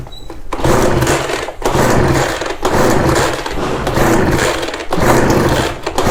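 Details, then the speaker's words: Ryobi BR42 backpack blower, sat one to two years, fuel lines mixed up so the engine kept running out of fuel. It surges and sags roughly once a second instead of holding speed. Fuel starvation from reversed fuel lines. "it was running out i think that's what happened sorry so now we are pulling it more from here"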